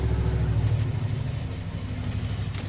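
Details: 2016 Jeep Wrangler Unlimited V6, warmed up after repair for misfires a shop had blamed on low compression: low, even idle rumble with zero misfires and a good ignition waveform; normal idle.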